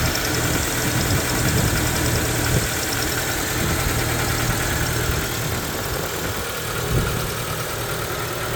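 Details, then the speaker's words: 1994 Proton Saga 1.3 GL with a Mitsubishi 12-valve Magma petrol engine, morning cold start. It settles to a steady, even, low smooth idle with no knocks or ticks and runs healthily. "so let's start it up and you can hear that engine take over oh"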